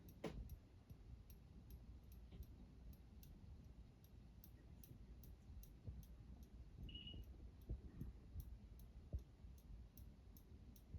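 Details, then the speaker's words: Saga Crown Colony ceiling fan on medium speed: quiet room with light regular ticks about three per second from the pull chain tapping the housing, slight possible bearing noise, some wobble. "And if you can hear me, only noise is coming from the chain. Think it's a a little bit of bearing noise, but besides that, it's just completely silent."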